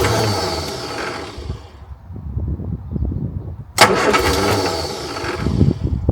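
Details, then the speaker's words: Morris Minor 1000 after a long break, spark plugs just done, battery boosted: slow uneven cranking dies away, then it catches with a bang and runs rough, hard starting; cause not confirmed. "Come on, gal. Well, nearly. She is trying."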